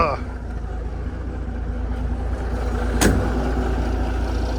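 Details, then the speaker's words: Peterbilt 359 diesel with newly installed Eaton EverTough clutch and Spicer 6-speed, clutch pedal low as brand new: truck pulls away under even rumble, no grinding, chatter or squeal; smooth normal clutch engagement. "oh clutch is low I guess cuz it's brand new Mark oh nice and smooth no noise I might have done it right"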